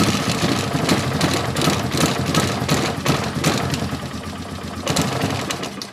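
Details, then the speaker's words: Polaris Sportsman 450 ATV with its restored original Mikuni carb, running with no enricher: an uneven, lumpy single-cylinder chug that stumbles and won't take throttle. The slow circuit was ultrasonically cleaned and blown out; the owner suspects he missed something in the quick clean. "Yeah, she won't take any throttle. When I went through this carburetor, I know the slow circuit and everything is clean."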